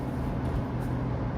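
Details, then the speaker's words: 2001 Chevy Tracker 2.5L V6 on a test drive after an oil change to quiet a lifter tick: steady, even engine drone under light road noise with no ticking on top; the valvetrain sounds quiet and healthy. "Yeah, road's pretty smooth. No ticking. The ticking sound is not noticeable. I can't hear it at all."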